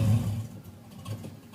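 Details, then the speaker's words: 1993 LT1 in an 1988 Camaro with new plugs, wires, fuel filter and pump: runs only while throttle is held, revs fade and it stalls when released; owner suspected Optispark, actual cause a dirty IAC valve. "normally it just cut on cut off if I hold the gas I wasn't touching the gas now there you go if I hold the gas it work if I let go of the"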